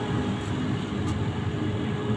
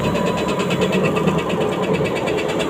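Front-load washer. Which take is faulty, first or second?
second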